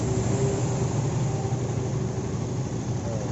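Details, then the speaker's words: Honda CB150R after repair of a rough, noisy engine with ticking: even, steady fast idle with no ticking or chain rattle; the earlier clatter is gone; normal idle. "Hai suaranya sekarang ngebacot suara yang letek letek tadi langsung ilang ya"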